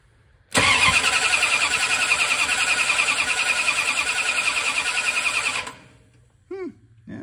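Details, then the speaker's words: 1967 Dodge Charger 383 big block V8 cranking after the adjustable rocker arms were adjusted on one side: about five seconds of steady, even cranking with no uneven compression strokes; it sounds more even than before. "sounds more even let's go over to the other side and see what's what"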